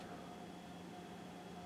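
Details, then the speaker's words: Digital Projection E-Vision WUXGA 6800 DLP projector, warning lights despite new lamps: at power-on only a faint steady low whir, no fan rush or colour wheel spin-up. The mainboard has a failed chip. "see I don't hear any of the fans coming on definitely didn't hear the color wheel spin up and there's something making like a"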